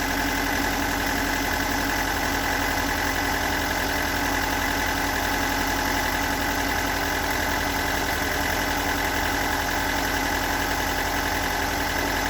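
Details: Stock unmodified bigport blue-top 4AGE in a Toyota AE86, about 195,000 km on the swapped clock, regularly maintained: uneven rough idle with a fast irregular ticking knock, steady throughout; owner cannot locate the cause.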